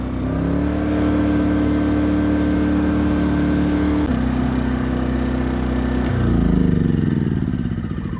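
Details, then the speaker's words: Hyundai 2200 W inverter generator with an 80cc 2.7 hp gasoline engine, rated 56 dB, first start: steady hum in eco mode, then revs smoothly to a higher, even speed with eco mode off; normal running. "so one nice thing about these small generators it's rated at 56 decibels for the noise level so you can actually have a conversation with somebody with this running on the front of it"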